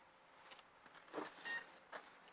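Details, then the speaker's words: Philips PC with many parts missing, at power-on: faint room noise then one short high beep but no display; owner suspects a poor monitor cable connection, unconfirmed. "Beep. Display something on the screen at least, come on."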